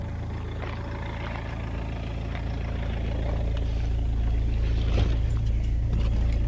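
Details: BMW E46 318d, M47N diesel, built 07.2003, at idle; steady regular ticking knock about three per second over the clatter; fixed by rebuilding all four injectors internally, nozzles kept, plus new fuel filter.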